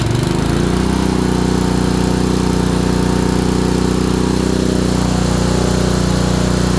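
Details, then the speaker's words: Honda small single, probably a water pump, after ignition coil install; fast steady idle with hard regular knock about three per second. Owner suspects bottom end; oil didn't look terrible. "So it'll shut down, but that bottom end, that knock, doesn't sound good."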